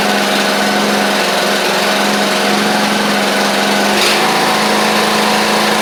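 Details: Craftsman YT4000 riding mower getting an engine swap (original 24 hp Briggs ran low on oil), crank-up: smooth, steady engine drone at constant speed with no misses, knocks or hunting; runs really good, healthy normal running.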